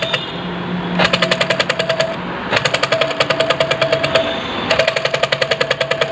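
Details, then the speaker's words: Sewing machine turned by hand in bursts: fast sharp metallic clatter about eight clicks a second from worn shuttle hook (latto), would be even louder driven on treadle stand; worn shuttle hook. "दोस्तों इसको हम केवल हाथ से चला रहे हैं तो ये इतना ज्यादा आवाज़ कर रही है अगर ये स्टैंड पे पायदान पे चलेगा तो आप समझ सकते हैं कितना तेज आवाज़ करती होगी"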